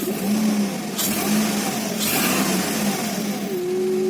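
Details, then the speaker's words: 2003 Honda Accord V6 after cylinder head bolts torqued into helicoil-repaired threads, water in cooling system, no check engine light: smooth steady running then a clean rev blip, no knocks or misses; healthy. "sounds good so I guess that's another win definitely I was really anxious to see how I ran and I'm glad everything went well"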